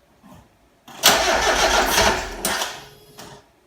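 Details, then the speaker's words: Mazda MX5 with replacement engine just installed and vernier timing pulleys fitted: cranking then a rough catch with sharp pops and bangs, stumbling and never running; backfiring start, owner suspects a timing issue from the vernier pulleys and plans to fit standard pulleys. "Before I tear into this engine and put the standard pulleys on, that sounded for all the world like a timing issue, which is why I'm thinking pulleys."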